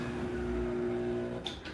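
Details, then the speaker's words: Newly installed belt-drive garage door opener, belt left slightly loose with a little sag. An even motor hum winds down gently at the end of travel with a soft-stop growl, then a couple of light clicks; normal soft stop. "can hear that nice soft stop growl."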